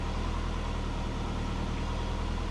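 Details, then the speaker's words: Subaru Forester on a Haltech laptop idle tune, O2 control off, coolant warm at 82°C, idle about 1150–1200 rpm, fuel close with no corrections: smooth, steady low hum with even firing and no misses. Normal idle. "Alright, sitting here idling. We're at 82 now, which is good. 82 degrees for the coolant, and fuel tuning pretty close with no corrections."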